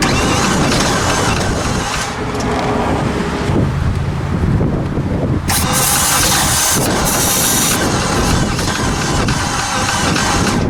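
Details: 2015 Infiniti QX80 from a Copart auction, suspected weak battery, cranking: slow, labored starter with an uneven skip and no catch, meaning one cylinder isn't compressing (low compression).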